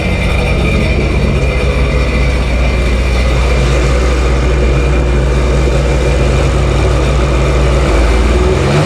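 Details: Cheap Sea-Doo jetski on a hose-water test after a fuel pump fix. A loud, steady deep roar with no knocks or misses; runs healthily.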